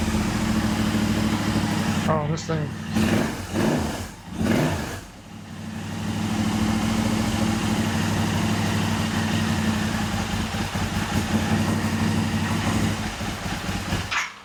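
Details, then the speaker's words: Royal Enfield 650 twin just rebuilt with a Revelry 700cc big-bore kit and new clutch, first start: a steady, even, quiet twin idle with no knocks but loping a little low; cause unconfirmed, with two ECU maps and the active one unknown. "She's idling a little low."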